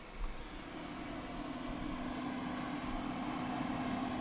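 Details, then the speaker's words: Soundcraftsmen PCR800 power amplifier driven hard on the bench until hot: steady loud rushing air with low hum from the cooling fan at high speed, microphone a listener's distance away. "and now I'm going to slowly increase the power until the fan comes on and it it's kind of going to vary uh to how much the unit has been on and how hot it is"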